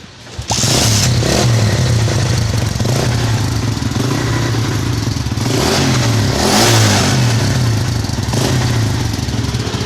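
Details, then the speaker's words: CD 100cc motorcycle fitted with a 70 silencer, revving: loose, rattly buzz riding on the exhaust beat; the baffle inside the silencer is broken and loose, making the noise, before repair. "अब दोस्तों इसके अंदर एक valve door भी है, और इसके अंदर इसकी अपनी बफल होती है, वो बफल टूटी हुई है और वो आवाज़ कर रही है।"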